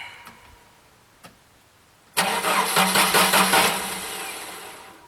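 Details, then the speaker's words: Jeep, new battery fitted, warm December day: starter churns steadily about 2.5 beats a second without catching until the fuse is wiggled, then it runs; bad fuse connection in fuse block, also an exhaust leak. Crank, no start. "so there is a fuse issue it is a uh a bad connection with a fuse that I have to fix"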